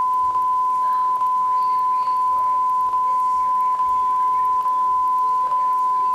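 A steady high tone with a sharp click a little over once a second, regular and repeating; the deck is clicking at the tape's end.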